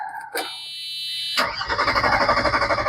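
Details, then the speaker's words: Mercedes 300SE after fuel pump replacement, battery well charged: chime, then steady starter cranking with even pulses about four a second but the engine never fires; crank no start, fuel delivery suspected, gas smell noticed. "you know I put the key in and it goes up to almost half and we just sit here crank and"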